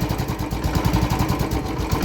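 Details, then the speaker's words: Royal Enfield Bullet, stock silencer, BS3 bend pipe, just after engine-cleaner flush and Motul oil change: regular, even single-cylinder thump at idle with no knocking or tapping; engine healthy. "Band pipe हमारा bs3 है काफी अच्छी आवाज है"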